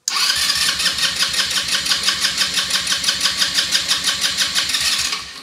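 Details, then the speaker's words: Elstar 150cc four-stroke quad bike, long stored, in neutral with a previously dry tank newly filled with petrol. The starter cranks evenly at about three beats per second for five seconds but it never fires. Owner suspects fuel has not yet reached the engine. "probably take a while to get the petrol through from the first time the tank was pretty dry"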